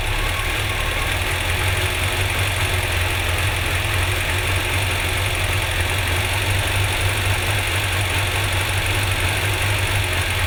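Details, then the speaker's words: Four-cylinder car after refitting a missing spark plug lead, possibly running rich: steady, even idle with a smooth low hum and no stumble; normal idle. "Okay, right now. Might be rich. Oh yeah. Much better."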